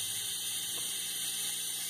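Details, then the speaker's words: Renault Logan with digital A/C, 57,000 km, heard with the pollen filter cover removed: steady high airy hiss from inside the evaporator box, nearly 200 psi in the circuit; refrigerant leak inside the dashboard. "Ó, aquele barulho que você ouviu lá, quase 200 libras de pressão aqui, ó."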